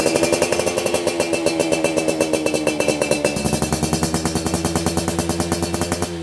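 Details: Yamaha F1ZR Millenium two-stroke (YP2 block) during a teardown and restoration, original manifold rubber with a chicken feather found inside; crisp even crackle with steady rapid firing and a light blip near the end; normal healthy running.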